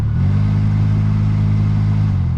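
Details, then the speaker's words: Hyundai Elantra cabin blower motor with the AC on: a steady low droning hum with throbbing vibration. Suspected cause is leaves or debris past the filter unbalancing the blower wheel, or a bad blower motor; fix is cleaning the blower. "you have some leaves or something get to pass the filter and get down into the the mold on the motor blade itself so it make it unbalance and it vibrates so you can hear that"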